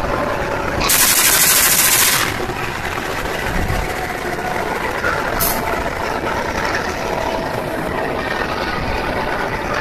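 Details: Indonesian diesel locomotive CC204-05 hauling train KA 161 Bogowonto: fast uneven knocking through diesel rumble, loud air-brake hiss early on; strange abnormal knocking, cause unknown.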